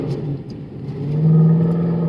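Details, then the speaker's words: Mercedes W204 C63 AMG, 7-speed MCT automatic after multiple rebuilds, climbing a hill at 20 km/h: engine revs rise and hold a drone with almost no drive; transmission slipping, failing on way to dealership. "Like I'm going 20 km an hour up a hill. We have like no power pretty much. This is not good."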